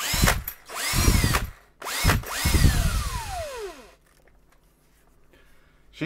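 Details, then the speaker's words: DeWalt DC725 19V NiCd drill (circa 2010), after commutator/brush arcing repair, motor bench-tested held in place: short bursts of even whirring spinning up and coasting down smoothly, no crackle; normal drill motor running. "um I should just be able to run it just by holding the motor in place hopefully yep that works fine"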